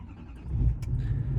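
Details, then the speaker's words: LML Duramax diesel truck started on day 3, glow plugs barely cycling; easy short crank, catches quickly and keeps running. Owner says the run-then-die problem only happens when super cold, despite new batteries. "crank. No issue there. Keep running, keep running. And see, no problem."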